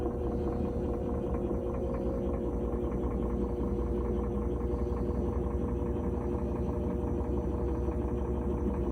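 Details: GE top-load washer after replacing the faulty lid switch/lid lock that clicked without locking during spin; steady low hum with an even churning rumble at high-speed spin, no clicking or knocking, spinning normally.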